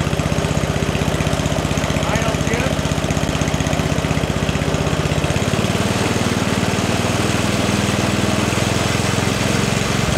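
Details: 44-year-old Toro 421 two-stage snowblower with a 4 HP Tecumseh engine, after a carb rebuild and tune and new fuel lines, on dirty oil, throttle slightly up: an even, unbroken firing beat with a slight settle midway, so it is running normally.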